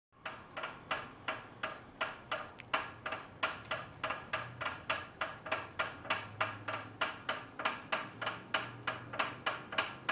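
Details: FitDesk v2.0 exercise bike: sharp even clicks about three per second, steady with nothing behind them, a rhythmic, very annoying click from the bike's moving parts.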